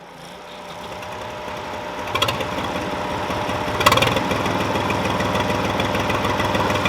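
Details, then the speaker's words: Old Ford diesel tractor, unidentified model, started after sitting about 10 years; crankcase had been overfull with oil. Lumpy, uneven diesel clatter at rough idle with a couple of louder thumps as revs rise; doesn't run awful. "Doesn't run awful."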